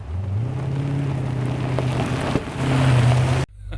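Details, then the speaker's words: 1989 C4 Corvette TPI, driving after replacing the fuel injectors with Bosch 3 style units and a new fuel regulator: pulls smoothly under light throttle with a clean steady hum, no stumbling or misfire; drives like a new car. "it's amazing how bad this thing was running and uh I mean I knew it was bad but this is literally like driving a new car"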